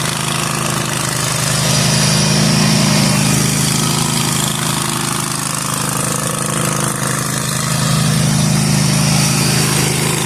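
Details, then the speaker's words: Zero-turn mower mowing overgrown lawn after repairs and new deck spindles and bearings were installed: steady engine drone under load, no bearing whine or grinding. The spindles are so quiet the blades seemed not engaged, a healthy result. "These bearings on these new spindles are so quiet. Like I literally didn't even know if the blades kicked on at first beca"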